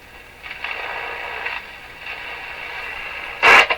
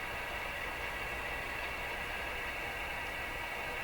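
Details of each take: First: Rogers 11RA651 shortwave radio with the external antenna reconnected: steady static hiss with a louder crackling burst near the end, heard even at minimum volume. Crackling capacitors are being replaced. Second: Rogers 11RA651 shortwave radio after capacitor replacement: only a soft steady hiss and one faint click, with no crackling bursts. Reception is clean, though volume is still weak.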